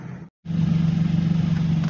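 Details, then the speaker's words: 2003-2007 Infiniti G35 with P0345 and ABS C1130 codes, bank 2 camshaft position sensor, bad wiring secured with zip tie: engine catches after brief crank and settles to steady even low idle, no misses or knocks; starts fine. "okay guys so the car starts the terror for one more time started one more time here we go"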